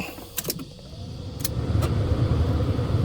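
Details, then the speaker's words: Jaguar XJ6 Series 3 bought as parts car, radio removed; heater blower fans switched on: a few clicks, then a low even whir builds to a steady hum, blower running normally. "That could be a major issue but and all this radio's been pulled out but I've just turned the fans on, they go."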